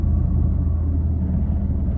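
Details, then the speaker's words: Fiat 500 (Cat S repair) idling after a drive on premium petrol with Redex: low uneven, lumpy rumble, still rough though it drives fine; owner suspects the air intake pipe vibrating and plans to check the coil pack. "but as you can hear or see we're still doing it it's still rough it drives fine absolutely fine i think the vibration is uh is that pipe uh the air intake pipe"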